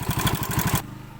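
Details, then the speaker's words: Yamaha Vega ZR motorcycle engine: fast, light metallic clatter on each firing pulse; cam chain rattle from a slack cam chain, possibly also a worn chain guide or weak tensioner. "Eh eh Vega ZR ini mengalami bunyi gemericik di sini ya. Bunyi gemericik ini disebabkan karena kamrat yang sudah kendor ya."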